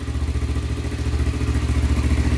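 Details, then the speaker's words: Honda 300ex quad after rebuild to fix heavy smoking, first start; even single-cylinder thump at idle, smoke clearing, no top-end tapping, running quietly. "all right yeah it's not smoking it'll probably pop out a little bit there's still oil in the pipe but yeah that sounds pretty good no tapping noise at all"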